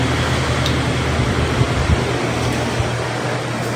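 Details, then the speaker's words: Stand electric fan on speed one: steady low mains hum, motor stalls with no rising whoosh of blades, runs only when spun by hand; failed start capacitor, fixed by replacing with a same-value new capacitor (1.5 µF 450 V). "so tingnan mo kung hindi umandar umugong lang hindi niya narig siguro Pero dito sa akin may ov siya So pag iikutin mo umaandar siya"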